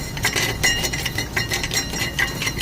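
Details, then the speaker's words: 2016 Chevy Equinox 2.4L Ecotec with loud noise driving and idling and poor acceleration: bright glassy clinks and rattles as the broken catalytic converter honeycomb moves loose inside the cat; needs a new catalytic converter. "So if we come up here and focus, I can move the whole inside of the cat. That's not good. I don't think it's supposed to do that. I'm definitely going to say that is our noise right there."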